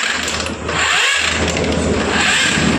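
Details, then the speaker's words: TVS Apache motorcycle that won't start by self-starter or kick: harsh rasping grind as the very tight, jammed kick is worked, still not free even with the spark plug removed. "दोस्तों आप लोगों ने देखा किस तरह से इसके engine से आवाज आ रही है उसकी किक बहुत ज्यादा टाइट है किक बिल्कुल एक जाम हो चुकी है"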